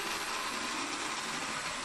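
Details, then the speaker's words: Hornby model locomotive (Hogwarts engine) running on track: soft even whir with light hiss, no clicks, catches or rough patches; normal, quiet, smooth motor running. "Just look how smooth she's running. You know, really nice, quiet, smooth motor."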